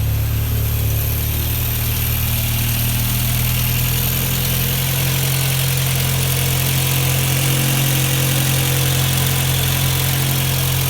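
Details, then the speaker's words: 1986 Volkswagen Cabriolet project car after fuel accumulator and pump replacement, brakes still pending: low steady even idle rumble, no knocks or misfires; normal idle. "let me just start this up so i can show you that i'm not lying and it actually does run"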